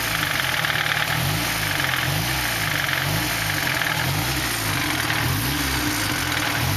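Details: 240 with KA (ka-t) engine still making engine noise at idle: loud, rough idle with a wavering low throb and a faint repeating knock beneath; cause unclear.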